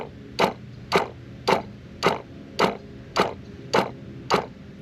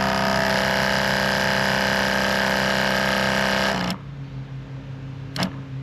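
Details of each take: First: Sprayers Plus 105EX backpack sprayer pump, found leaking when taken apart; short buzzing bursts about every half second as the pump cycles on and off, spraying water out the back each time it runs. Pump to be replaced. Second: Sprayers Plus 105EX backpack sprayer after pump replacement and retightening of the hose fitting; steady, even motor hum with a smooth fast pulse, then a clean shutoff, no leaks, running normally.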